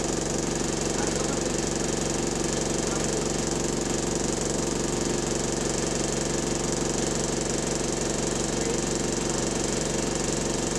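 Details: GAL SE101 diesel bus on route, with a steady rapid knock of about three beats a second under passenger chatter; rod knock suspected, not confirmed.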